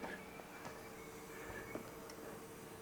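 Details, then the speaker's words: Porsche 944 electric fuel pump run via jumper at the fuel relay without starting the engine, after replacing the fuel lines: faint steady hum, even pitch, no surging or rattle; fuel flowing through hoses, no leaks, pump normal. "Okay, see if you can hear the fuel pump going. There we go. I can hear it. No leaks."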